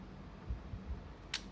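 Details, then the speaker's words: Yashica Electro 35 GSN with a stiff shutter that would not fire, after cleaning (stored unused since April, possibly moisture): in Auto at f/1.7, a single crisp shutter click with no drag or sticking; shutter speed follows the light meter normally. "สปีดก็จะก็ปกตินะครับตามค่าแสงอยู่แล้วนะว่าตัวกล้องมันระบบมันไม่ได้เสียนะครับ"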